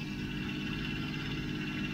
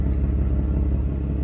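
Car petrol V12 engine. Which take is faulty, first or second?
second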